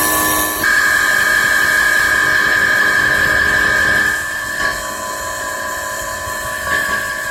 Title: Sound of bad motor bearing.